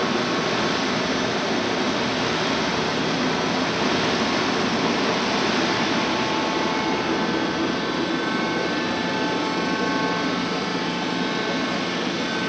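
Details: Worm screen centrifuge test run after repair for bad vibration: the worn main drive bearing diameter was machined and sleeved, and the main drive and gearbox bearings replaced. Steady whir and hum with no knocks or growl; normal running.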